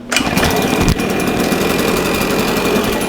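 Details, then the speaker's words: Husqvarna 150BT backpack blower reassembled after a no-start (owner had replaced the coil several times), kill switch reconnected, airbox gasket missing: small two-stroke fires on the pull into a steady, even buzz; normal running. "he's a runner okay customer said it wouldn't start customer was wrong"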